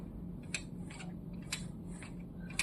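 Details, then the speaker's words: Canon MAXIFY GX4070 printer, about a year old, just after power-on: faint light clicks about once a second over quiet hum as paper is inserted into the ADF, with no detection beep; feeder takes 8+ minutes to detect paper. "that click is basically this little part but the thing is even the paper is inserted into this part here. This should it should be followed up with a beep that basically indicates that the printer has detected uh the paper."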